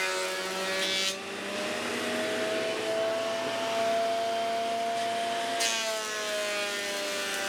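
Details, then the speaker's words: Dust collector running with a 3D-printed industrial fan, sucking MDF sawdust and small wood chips after the bin was swapped for a bag; steady whir rising slightly as it spins up, chips rattling through; sounds good and performs well, normal running. "actually looks good and it really sounds good and it seems to perform pretty well"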